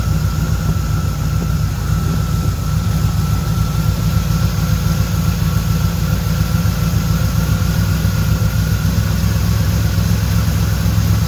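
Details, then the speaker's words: 1976 Corvette Stingray V8 first run in 8–10 years, fresh filter, idle screw turned up, warming up, oil pressure good: steady, even low rumble with constant pitch and no misses or knocks. Fired right up and ran pretty well. "I'm going to call it a win because it fired right up and ran pretty well."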